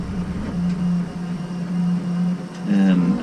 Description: This is a video to show the machine working fine after a filament jam.